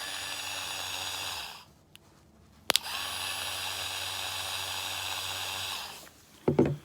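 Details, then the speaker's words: Old original 12 V DC Valvetronic motor from a 2007 BMW 318i, bench-tested off the car: steady high whine with a slightly coarse whirr. It sounds "a little bit bearingy"; a worn bearing is suspected, not confirmed. The new replacement motor felt beefier. "and if i plug in the old one it sounds a little bit bearingy to be honest"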